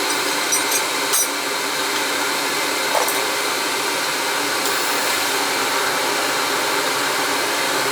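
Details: Riello oil burner after service with heads cleaned and good oil flow confirmed: steady, even roar with a clean airflow hiss and no pulsing or stumbling; burner running normally.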